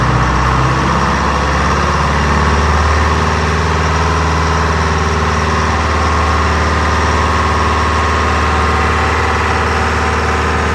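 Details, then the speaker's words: Detroit Diesel 4-53 two-stroke in a Wagner W4, running again after restarting with throttle reset: deep, even diesel drone holding steady at idle, no knocks or stumbles; minor oil leak, healthy idle. "A bit of an oil leak as well, which is a good thing, because if there's no oil under a Detroit, there's no oil in it. That's a good sign."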